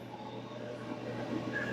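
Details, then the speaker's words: Maytag Centennial dryer on time dry (high heat) after cleaning, roller shaft cleanup and fixing a rattle in the rear duct assembly: steady low hum and soft even rush, no rattling; sounds much better. "So we'll just hit the... Oh, that sounds way better."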